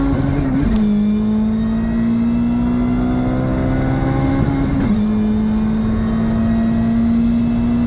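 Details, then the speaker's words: JRSC-supercharged Del Sol, freshly retuned, full-throttle pull through all gears toward an 8,000 rpm limit: engine note climbs steadily through each shift, no blower belt squeal or chirp; no slip, 16.1 psi at 8,100 rpm. "Things are going smooth. We're going to 8,000 RPM now. Can the Dellcat do it? I think [Music] so. Doing a test pull through all the gears."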